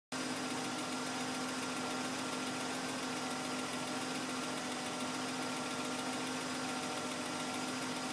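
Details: BMW M52 engine running: loud, steady running noise with a constant humming note and a buzzy edge over the idle; an abnormal noise, source not pinned down.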